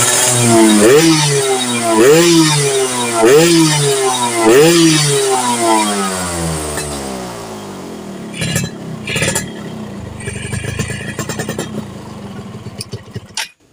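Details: Yamaha F1ZR two-stroke after stator coil work to cure popping under throttle: crisp revs rise and fall cleanly in repeated blips, then settle to a quieter idle with no popping; running right.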